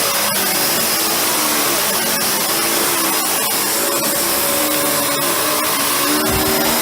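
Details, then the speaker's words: Panasonic MC-UG302 1900 W upright vacuum that came in with a seized brushroll, now freed but still tight in spots: loud steady roar with rough, uneven grinding underneath at the brush end; worn brushroll bearing. "do you hear that horrible noise that horrible noise is the brushroll"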